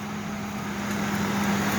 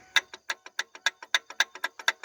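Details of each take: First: Ford Explorer running: smooth, even running with a steady low hum and no squeal or chirp from the belt; sounds healthy. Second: Ford Explorer belt tensioner pulley turned by hand, engine off: sharp dry clicks about six per second; rough, worn tensioner pulley bearing.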